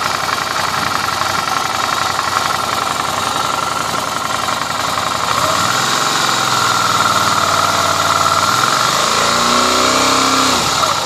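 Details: Suzuki V-Strom idling with a regular light ticking knock about four a second over a rough idle that rises and falls with throttle blip; strange engine noise, cause unclear.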